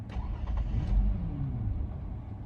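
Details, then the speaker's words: 2004 Toyota Camry 3.0L 1MZ-FE V6, fully warmed after driving then sat 5 minutes: hot restart catches briefly then sags and dies. "All right. And it died."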